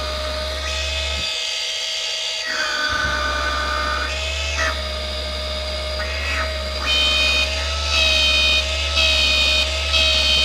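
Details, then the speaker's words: Original turbo oil scavenge pump on a 12 V, 6 A bench test, noisy even with its line pinched: loud constant electric buzz over a low hum, with a shifting whine as it pulls vacuum. "it pinched like this and it was still making all kinds of noise so let's set up a bench test"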